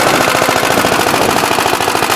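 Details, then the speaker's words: Big Blue 53 L tractor after its rebuild, showing oil pressure with a leak at the oil pump: a loud, quick, even single-cylinder popping with no misses or knocks. It sounds better than it ever did. "Sounds a lot better than it ever did."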